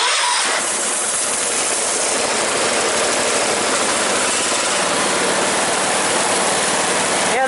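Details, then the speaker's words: Engine started after refitting a tensioner spring that had popped off: catches and settles into a fast idle with a light, loose rattle on top; minor start-up rattle, cause undetermined, otherwise running well. "Rattles a little bit now, but that's alright. So that's running really good, as any other cooler should."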